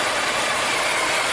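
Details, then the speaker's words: 2010 Volvo XC90 3.2 inline-six idling rough with lean codes, about 35% short-term fuel trim and lean oxygen sensors; strong crankcase vacuum sucks the oil cap down, and a steady loud hiss is heard; an internal PCV-system vacuum leak is suspected. "There's a lot of vacuum right now. I can't even lift my hand off. Suspecting an internal vacuum leak in the PCV system."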